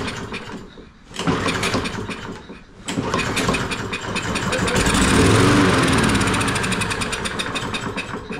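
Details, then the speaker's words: Toro 22-inch Recycler mower with a Kohler XTX675 engine. After fuel is squirted past the choke, recoil pulls make it fire and run a few seconds before dying: a fuel-starvation problem needing carburetor cleaning. "it's going to be a fuel problem we know it's getting fire because it cranked we know it's getting compression because it cranked we give it Fuel and it cranked"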